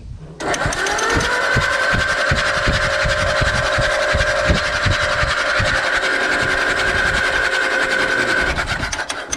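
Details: Allis Chalmers WD tractor after in-frame engine reman: steady starter whine with even chug about 160 a minute, no knocks or grinding, oil dripping from all rockers; the rebuilt engine turns over cleanly.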